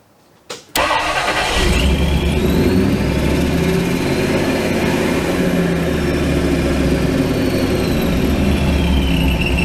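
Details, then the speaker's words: V8 with a newly installed Holley Sniper EFI and HyperSpark ignition on first start-up: a brief starter whirr, then it catches and holds a steady, fast idle well above normal before the IAC is adjusted. High idle. "Now when I start it, it's going to be revving kind of high."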